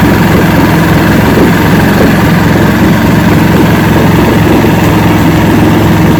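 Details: 1970 Evinrude 85hp two-stroke outboard, hydro-electric shift, about 50 years old, new water pump impeller, run in a water container after shift tests: steady even low burble, no misses, knocks or hunting; carburetors judged good at idle, full throttle untested.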